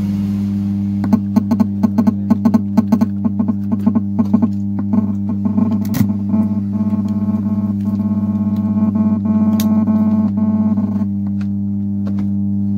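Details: Amplifier with 4440 IC board humming along with the audio: a steady low drone sits under the music and never follows the tune. The small filter capacitor is being replaced as the fix. Power supply hum from an undersized filter capacitor.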